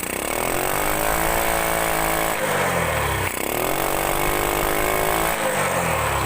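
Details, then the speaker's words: Grand motorcycle, throttle blips while watching the carburetor: revs rise and fall rough and popping on the intake side as the carb spits fuel back; cause found to be the exhaust (knalpot). "Nah, kelihatan nyemburnya. Lah, kita ulangi atau saya gunakan kardus sebentar. Lah, seperti ini. Bisa diperhatikan semburannya."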